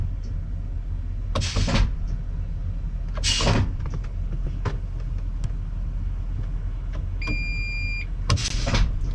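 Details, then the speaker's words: Eaton Fuller 10-speed auto-shift truck transmission: short sharp air hisses and clunks a few seconds apart over a low rumble as the high/low range air shifter actuator shifts normally; when faulty it stuck in high range silently. "You see how it shifts up and down? Can you hear the air shifter outside there? That's the actuator."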